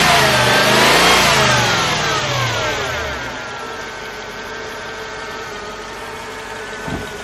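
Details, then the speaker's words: Mercedes CLK55 (W209) V8 with a stock exhaust, at start-up: the engine catches with a rev flare, then settles to a smooth, quiet, even idle. It is running normally. "As you can see, the car runs like pretty well. It probably get a little tune-up and stuff like that, but it's super stock, very quiet."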